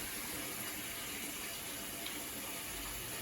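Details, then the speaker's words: Avanti TLW21D2P portable washing machine, found discarded and under repair, filling, probably for the rinse: a steady hiss of water with no valve chatter or pump strain. The drain hose is on the floor but no water leaks out, and the fill stops properly. Normal water fill. "And even if the hose is down on the floor, the water doesn't go out. Okay, so as you can see, the water goes in smoothly."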